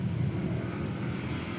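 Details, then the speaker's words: Motorcycle with one-year-old 59 mm stock block setup: loud, rough, uneven low rumble; owner suspected broken liner, block skirt, crankshaft or connecting rod, but teardown found nothing broken; cause unknown. "Ayan maingay nga naman. So expect ko baka nabasag yung kanyang liner."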